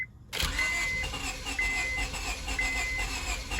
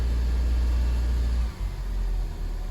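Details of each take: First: 2002 Honda Civic after sitting a month and a half: steady starter cranking with brief attempts to catch on starting fluid, never idling; turns over now but won't start, owner suspects lost fuel pressure or rat damage to fuel lines. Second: 2002 Honda Civic restarted after sitting a month and a half with a clicking no-start, fixed by cleaning battery terminal corrosion: low, steady rumble that settles after a brief dip and holds on its own; normal idle.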